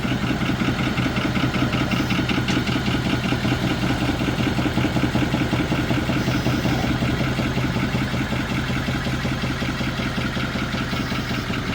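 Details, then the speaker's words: 2020 Chevrolet Silverado with an L5P Duramax diesel, due for an engine swap, started with the coolant drained for the last time before backing it into the shop. Rough idle with a steady knock of about 2.5 per second. "Well, that thing sounds pitiful. I'm hoping they can get it up on here before it locks up."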